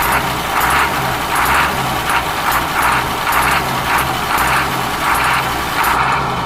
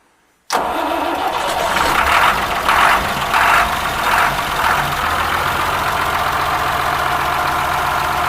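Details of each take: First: Ashok Leyland bus diesel engine idling after cold start following many years unused: steady low throb with a rhythmic air hiss pulsing over it, running evenly with no knock; normal idle. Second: Ashok Leyland bus diesel engine cold start after many years unused: cranks briefly, catches and settles into a rough uneven idle with gusty surges.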